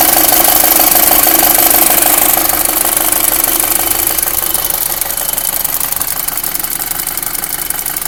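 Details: 2005 VW MK5 GTI 2.0 TFSI turbo petrol at idle: fast, fairly even ticking knock around three per second over a hiss; strange engine noise, cause not identified.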